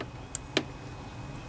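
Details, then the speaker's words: Kohler Pro Courage 26 hp twin-cylinder on a Craftsman DGS 6500 riding mower, after a carburetor rebuild: with the key at first position and the engine off, two crisp clicks sound. The fuel shutoff solenoid works; it was silent before because it was gummed up. "Hear that clicking? That tells us that that fuel solenoid is working just fine."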